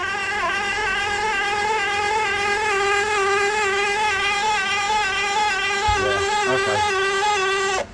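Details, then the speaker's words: Kandi Cowboy/Innovator dump bed actuator, removed and bench-tested on reversed polarity: a loud, harsh, buzzing whine that points to a worn internal bearing; it had earlier stopped, clicked and locked, with its micro switches and diodes also suspected. "That's going to be one of the bearings."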